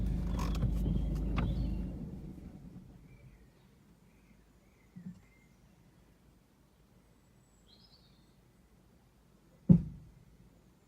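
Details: Ford Focus 1.6 diesel, recorded inside the car: road rumble fades as it comes to a stop, then a single sharp clunk.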